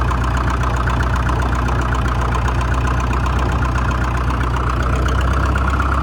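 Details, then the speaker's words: 1947 International Harvester TD-9 gas-start diesel crawler, American Bosch injection, running after magneto rebuild; low steady even chug with no misses, clean stack, smooth healthy idle. "Clean stack even. Running good."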